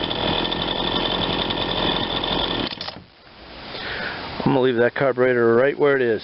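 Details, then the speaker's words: Ryobi 20-inch 40cc chainsaw, warmed up after repair to get it running: held at full throttle, a clean high revving scream without heavy four-stroking, just a hair lean on the high side, and it returns to idle nicely. "seems happy it's just a hair lean on the high side but it comes back to idle real nice"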